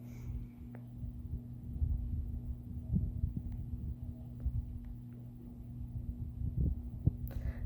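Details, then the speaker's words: 52-inch NuTone Hacienda ceiling fan running up to high speed: low steady motor hum with uneven throbbing rumble from really bad bearings; wobbles slightly. "but this fan does have really bad bearings you can already hear them a bit up to [Music] high"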